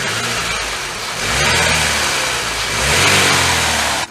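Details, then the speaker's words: Chevy Cavalier Ecotec petrol four-cylinder, full synthetic oil changes, revs up smoothly twice and settles back with no knocks or rough misses; injectors make a normal clicking tick; a healthy engine. "it's a healthy ecotec right there and it has no oil leaks of any kind"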